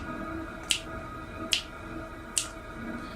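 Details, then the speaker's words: Chinese diesel heater on level one (minimum) setting; crisp single fuel pump ticks about every 0.85 seconds over a faint steady hum, pump very slow; normal fuel pump ticking at minimum. "on one now if you can hear that pump very slow"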